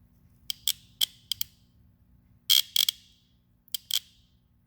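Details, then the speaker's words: Shift solenoid pulled from a 2012 Toyota Corolla automatic transmission, bench-tested by touching ground with the harness on battery positive: sharp, crisp clicks in small irregular bursts show the solenoid is working. "I can hear it clicking, so it is working."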